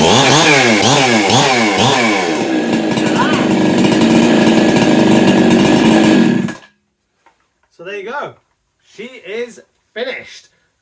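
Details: Husqvarna 365 Special chainsaw first start after a muffler mod, with the cracked exhaust welded: revs up and down crisply with a loud, raspy exhaust, holding a clean even throttle before shutting off; running healthy.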